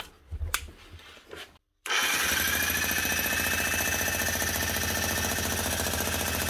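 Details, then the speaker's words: Old USA-made Bosch GSH 27 demolition breaker hammer after repair (dried grease that no longer sealed the piston was washed out and replaced with fresh grease): quiet at first, then steady fast even pounding as grease disperses; normal hammering. "as you can hear whenever started off she's fairly quiet wasn't making a lad hammer then with a few minutes of it running the actual new grease inside starts getting dispersed where it's need needed to be"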